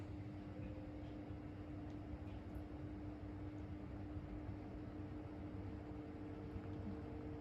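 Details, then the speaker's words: 2000s Vortice 12-inch box fan, second of two, on medium; soft, even airflow hiss with a thin steady motor whine at one pitch, quiet running though it doesn't move much air. "Again, they don't move an insane amount of air, but they are quiet for a full thing. I'll give them that."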